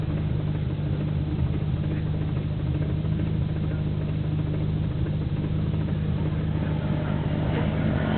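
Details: Nissan Skyline GT-R BNR34, stock Getrag manual gearbox with Nismo clutch, recorded windows open: steady idle drone with dull, uneven gearbox clatter. It is abnormally louder than before and slow to stop when the clutch is pressed. Unchanged after gearbox oil change; overhaul considered.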